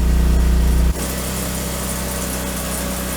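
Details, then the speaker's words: Generator powering a DJI T30/T40 ag-drone fast charger: heavy low engine drone suddenly drops and lightens as the generator unloads; too much harmonic distortion under high power draw puts the charger into protect mode, shutting it off repeatedly. "If there is too much of this harmonic distortion, the charger will go into protect mode and shut itself off. You know what I'm talking about. First you'll hear the generator unload,"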